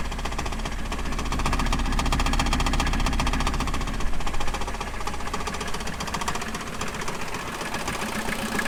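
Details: 1989 VW Jetta mk2 diesel, 5-speed, about 118,000 miles, restarted after sitting about 14 years, on new fuel and a new battery: rough clatter at a few beats per second settles to a steady idle with no heavy knock; normal idle.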